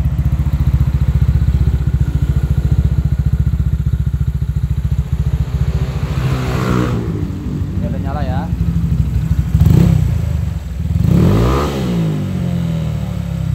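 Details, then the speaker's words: Honda Vario with a 59 mm bore upgrade, previously pinging (detonation), after repair: crisp, even idle climbing cleanly through quick throttle blips and settling back smoothly, no pinging; engine now feels good. "Oke teman-teman kalau kita rasakan dipegang di blayer-blayer motornya udah enak sekarang"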